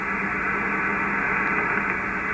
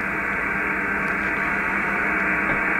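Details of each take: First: HF receiver around 474 kHz medium wave after grounding the ungrounded fiber internet terminal: smooth, even hiss with no buzz, whine or pulsing; interference essentially eliminated, clean noise floor. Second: HF ham radio receiver tuned near 474 kHz on medium wave: steady hiss with constant buzz masking signals; interference traced to the internet provider's equipment, then eliminated.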